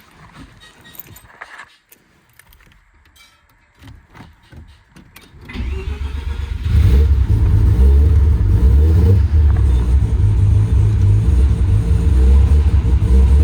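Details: Mazda FC RX-7 rotary just reinstalled and the exhaust welded on: a brief crank, then a deep, smooth, even idle with a low burble; runs healthy.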